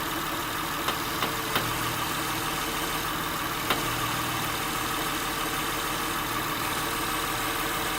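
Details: 2006 Acura TL (3G) idling in park: sharp irregular clicks while turning the steering wheel, caused by an internally binding steering rack; replacing the rack fixed it.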